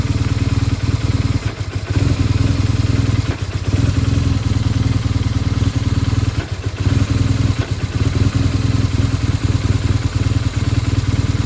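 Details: BMW R1200GSA boxer, fully hot only: uneven idle that dips and sags every couple of seconds as if about to stall; plugs, coils, valves, throttle-body sync and adaptation resets did not cure it; rough idle, cause unknown.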